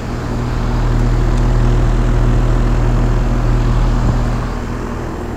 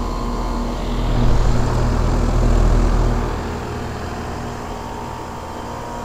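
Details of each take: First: 2001 5-ton Trane XE1000 Weathertron heat pump in heat mode under high load, outdoor temperature dropping into 40s°F: loud steady low drone audible from the street, even fan throb, running normally. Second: 5-ton 2001 Trane XE1000 Weathertron heat pump in heat mode under high load: deep steady fan drone with a fast even rattle as the fan grill and condenser side cover shake.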